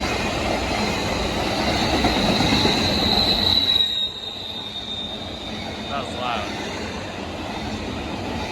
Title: Loud screeching sound on CSX intermodal train #railfanning #csx #shorts 11/2/25